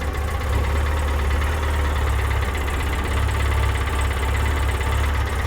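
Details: 2006 Polaris Ranger after a rebuild, the high idle now turned down a bit and injector cleaner added: a deep, steady low rumble with an even beat and no misses or knocks; normal idle.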